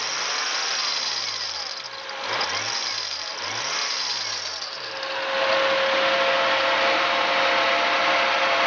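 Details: Toyota Supra/GS300 2JZ-GTE VVTi twin turbo: harsh metallic clashing over the engine when revved, sounding like a water pump or crank pulley failure; the cause was a bad drive belt, and replacing it fixed it.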